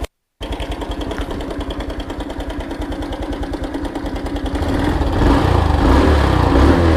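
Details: 2021 Honda Wave at about 12,000 km after cam chain tensioner replacement. Steady fast clatter about three per second over the single's idle, louder as revs rise; cam chain still rattling, cam bearing not suspected.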